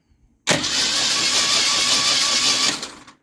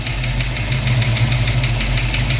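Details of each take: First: Ford Mustang V8 cranking after rocker adjustment during compression test: smooth, even cranking with no clacking; earlier knock likely pushrods popping back into rocker cups when rockers were too loose. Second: Ford Mustang engine idling with sharp steady ticking from a loose exhaust rocker arm, clattering badly; adjusted while running to quiet it.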